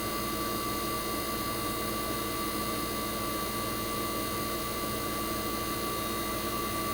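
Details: 1965 Fedders Weather Wheel air conditioner's 1960s reciprocating compressor running after first cold start of 2023 in a very cold shop: steady even hum, constant high tone, no knocks or rattles; compressor warm, head and suction line ice cold, operating properly.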